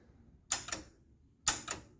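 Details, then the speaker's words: 1976 Gottlieb Sure Shot pinball machine powering up with coin door open (interlock switch open): lights come on and the lockout relay gives two sharp double clicks about a second apart in a quiet room; machine otherwise not yet running. "little bit of Lights little bit of clicking of the coor relay or solenoid what the you call it lock out relay"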